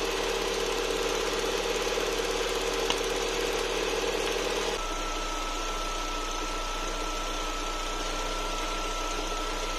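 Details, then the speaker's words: Lada Vesta warming up at idle: quick light ticking, about two to three per second, then stops; characteristic noisy EVAP canister purge valve chatter before adjustment. "заведем наш весточку сейчас она прогреется компьютер даст сигнал сработает датчик мы слышим характерный звук клапана"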